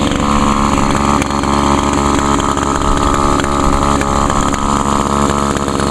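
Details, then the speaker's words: Older Echo SRM 2201 trimmer, 21.2cc two-stroke, choke and primer start. High buzzing note holds a steady pitch without surging or dying: normal two-stroke running, started well and stayed running. "wow started up pretty good actually stayed running for a change this time"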